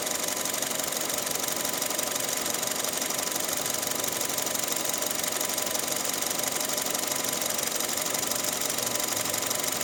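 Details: Engine ticking after nearly a year on Pertalite instead of Pertamax: light sharp tick repeating about twice a second over a thin idle; owner unsure whether valve clatter or knocking.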